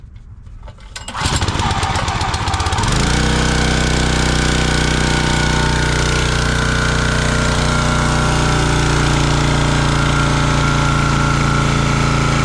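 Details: Champion 27-ton log splitter, 224cc engine, stored outside, after sitting a day or two: catches on the first pull, then settles into a steady, even chug with no misses or knocks. Normal running.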